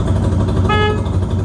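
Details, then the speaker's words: 1973 Honda CL350 cafe racer, revived after sitting years with cleaned carbs and fresh gas, warmed up: over the lumpy running twin one short steady horn toot of about a third of a second; horn works fine. "your signals work your horn works oh you guys want to hear the horn"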